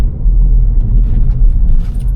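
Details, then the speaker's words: Vauxhall Corsa reversing at slow speed after replacing worn front shock absorber top mountings: low even engine and tyre rumble, earlier front suspension knock gone, steering tighter. "Straight away, I can hear that the knocking noise that it did have has disappeared."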